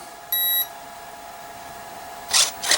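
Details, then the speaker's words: Durafly Komet foam RC plane on 4S battery, transmitter bound, throttle cutoff on: short high beep then sharp chirps, no motor sound; ESC gives four beeps and won't respond to throttle. Cause unconfirmed, battery voltage suspected. "Controls work. I'm getting 4 beeps. Oh, you can hear it. But no response from throttle."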